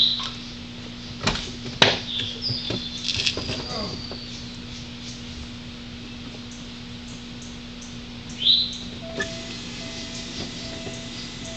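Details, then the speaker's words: 1989 Audi 200 2.2T Quattro starting up, then a sharp, high chirping squeal over the running engine as the loose alternator belt slips and begins to wear. "now squeaky belts normally mean there's normally a sign of the belts too loose and as you can see it's actually starting to eat on this belt but the belts still good"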